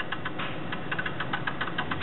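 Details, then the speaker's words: GM instrument cluster (Escalade type, shared with Silverado, Tahoe, Yukon, H2) on bench test: quick uneven clicks and jerky grinding buzz as the gauge needle sweeps, indicating a worn gauge stepper motor. "oil gauge is running pretty smooth but it is got a little bit of grinding noise I don't know if the listeners will be able to hear that"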